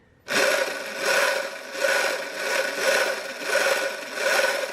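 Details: Sur Ron electric dirt bike after being hit in a race, owner suspects swing-arm damage: electric whir swelling and fading about once a second with a buzzy edge, vibration felt through the cover, chain play normal; source unconfirmed.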